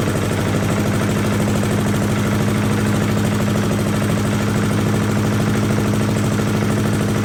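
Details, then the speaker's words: 1982 Billy Goat vacuum single-cylinder engine after an ignition swap: a fast, even putter holding steady speed with no misses or knocks. Running smoothly, a very solid running engine. "I personally I feel much better with my purchase now we have a very very solid running engine here"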